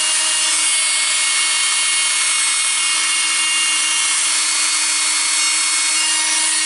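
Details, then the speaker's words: Makita circular saw running unloaded after reassembly and brush check, blade-slipping fault: steady high-pitched motor whine with harsh hiss, a little louder than usual, possibly more sparking; cause unconfirmed, slipping later traced to worn inner and outer flanges. "Okay, cannot feel something bad. It's working a little bit louder than usual."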